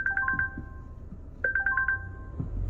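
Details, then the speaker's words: Wrecked 2020 Volvo after a crash, no coolant in it, bonnet open: four-tone electronic ding repeating about every one and a half seconds over a quiet idle; warning chime, owner suspects the open bonnet. "And that dinging's doing my head in. That's probably because the bonnet's open, isn't it?"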